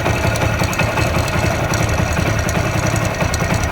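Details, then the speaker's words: 15–16-year-old Hero Honda Splendor Plus single-cylinder, engine rebuilt with new timing chain and roller: quick light metallic rattle like a loose chain over lumpy idle; caused by worn camshaft lobes. "इसका sound इस तरह से इसमें timing चैन roller वगर सारा कुछ नया डाला गया है पूरा इंजन जो है नया तरीका से बनाया गया है फिर भी इस तरह से ू है इसके अर तो टाइमिंग चन के जैसा आवाज करता है"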